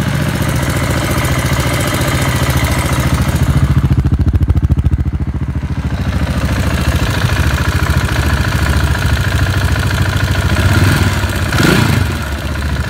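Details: KTM 690 Enduro R after repair of an engine abnormal noise; single-cylinder thumps along at steady idle, even beat with a short blip near the end; sounds healthy.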